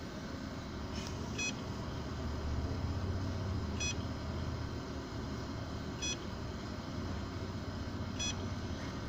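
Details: Seagate 1TB external hard drive not detected by the computer: a short, high chirping beep repeats about every two seconds over a low hum.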